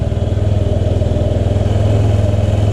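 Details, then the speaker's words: 2005 Honda Metropolitan scooter after a fuel pump and filter swap cured its no-start: the small single-cylinder engine runs at a quick, even fast idle with steady low popping pulses and no misses or stumbles. Running normally. "So, it is running. So, that was the problem. Had a bad fuel pump."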